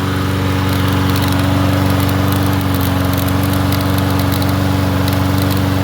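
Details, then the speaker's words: Troy-Bilt TB110 push mower after valve check and new spark plug gapped to 30: smooth, even, steady drone, no misses or knocks, though it kicks back on the recoil; normal running. "It's hitting the recoil. Am I going to have to spray it? Other than that, he sounds like a peach."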